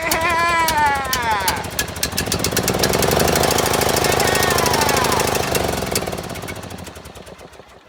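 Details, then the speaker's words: John Deere L100 small single-cylinder engine, first start on original battery with choke on: harsh hammering chatter that surges, sags and dies; owner suspects fuel a couple years old. "the fuel in this thing is as you can see not all thereo and last night that muffler was just full full trying to name that smell smells like rank rank old Fuel and I mean I mean the fuel in this thing's a couple years old"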